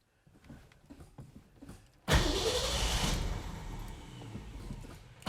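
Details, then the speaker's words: Ford 260 V8 classic with new 45-series copper plugs, in neutral: after a quiet spell the engine catches and runs lumpy, sagging and stumbling; working accelerator pump and ignition point to a carburetor idle circuit problem. "way it's running right now tells me that we probably have a carburetor problem on the idle circuit"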